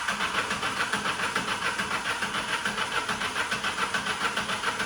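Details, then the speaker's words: Relative compression test while cranking, with the secondary ignition probe as sync: cranking at about 140 beats a minute with a lopsided, uneven rhythm and some strokes weaker than others. "sound is not okay for me, but however we have to wait until we see the relative compression waveform."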